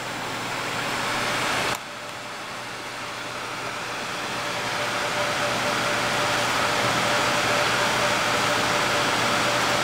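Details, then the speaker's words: Two Gainward GTX 580 Phantom 3GB cards in SLI, fans set to 100% spinning up, top card 84°C, 32°C room; steady airy rush with faint constant whine rising slightly, normal loud fan noise. "but here we go fan speed at 100% just give it a minute to spin"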